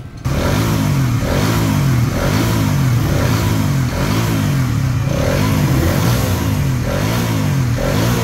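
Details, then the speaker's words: Raider 150 FI motorcycle, 507 km odometer, after engine teardown and repair beyond dealer warranty work: even, steady engine beat with soft regular pulse, no knocking or clatter; now quiet, slight remaining roughness attributed to misaligned crankshaft, but all good. "tahimik na. May konti na lang na ano, na medyo maganit dun sa may sinasabi ni boss kanina. Hindi kasi align yung crankshaft. Pero all good na to."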